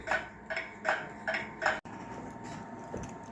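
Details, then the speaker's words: WUBA/Warmink Dutch 8-day Sallander wall clock, Ergos 7 series movement from the 1960s/70s, just cleaned and reassembled: crisp, evenly spaced tick-tock a little over one per second, no skips, escapement set in beat. "So you could hear the even tick tock. And I let that tick for a little bit."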